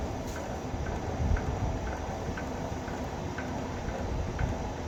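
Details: Vevor wire stripper running THHN wire: low motor rumble with light, fairly even ticks about every half second as wire feeds; chatter would mean setting too tight; normal operation.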